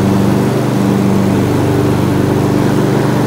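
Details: Mower running after a worn belt with chunks missing was replaced; earlier the deck shook and vibrated badly. Now a steady, even engine drone with a constant mid hum and no shaking or slapping: the mower runs smoothly.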